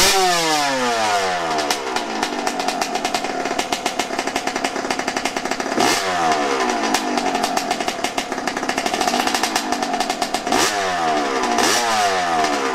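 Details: Yamaha YZ125 two-stroke after carburetor adjustment, restarted with one kick. Sharp, crisp revs snap up and fall back cleanly again and again without bogging or spluttering. Normal running.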